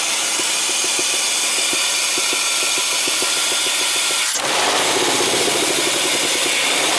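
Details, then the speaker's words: 2000 Chrysler 300M, engine running rough, heard under the hood: harsh uneven ticking knock about four per second over a rough idle, then a sudden shift in tone. Fuel trims off, and it stalled when a vacuum port was plugged. "Oh, you can hear it. It's not a good sound. It's not a good sound at all."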